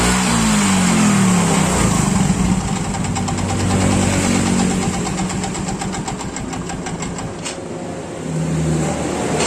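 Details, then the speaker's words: Yamaha Mio Soul GT scooter that had sat unused for several days and would not start. Oil checked fine; after kick-starting, it catches, revs briefly, then settles into an even idle. The fault was only the spark plug. "Oke, bisa teman-teman lihat motornya itu sudah hidup lagi. Dan ternyata kendalanya cuma pada bagian busi."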